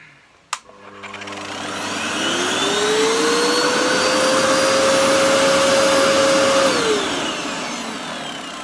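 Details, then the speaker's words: Hoover Dust Manager Cyclonic DM6228 2,200 W vacuum, first switch-on test before restoration; click, then a smooth rising whine settling to a steady even hum and winding down: motor runs healthy. "That sounds really good, actually."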